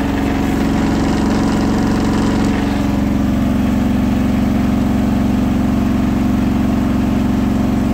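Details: Hotpoint washing machine ramping to 1400 rpm final spin after balancing; a rolling bath sheet fooled the balancing and was thrown to one side, giving a heavy regular thumping throb and droning vibration; unbalanced load during spin.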